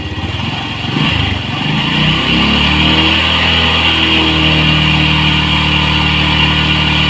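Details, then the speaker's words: Honda Revo fuel-injected motorcycle after fixing a faulty stator (spool), with charging voltage now rising: the engine revs smoothly from a lumpy idle to a steady high rev. The earlier humming drone is gone and it sounds normal. "dan suara mesin pun beda kalau Sebelumnya kan kedengaran sekali suara kayak dengungan Nah sekarang normal normal"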